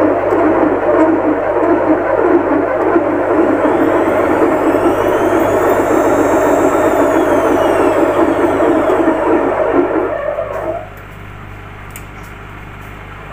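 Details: Lux Royal WH 1093i washing machine before repair, fast spin: loud rushing scrape with rough beat about twice a second as the inner drum rubs the door gasket and knocks, caused by a cracked, corroded spider pulling the drum forward; bearings fine.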